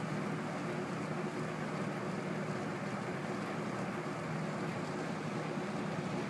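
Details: Rex Air Controls window fan refitted with a 1/4 hp two-speed Emerson motor, replacing a Westinghouse motor with worn sleeve bearings; spherical bearings shimmed with rubber gasket strips. On low: smooth, even airy rush, soft low hum, no knocks or rubbing; normal running.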